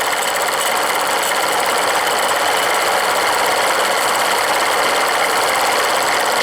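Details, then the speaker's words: Steam launch with Cheddar Proteus 4.5 cc Maudsley reversing engine and engine-driven feed pump; bypass valve closed, boiler level had dropped; quick light ticking about two per second over steady steam hiss, the pump check ball seating normally while refilling. "je vais accéer là ça Tom on entend c'est la bille alors le niveau a baissé"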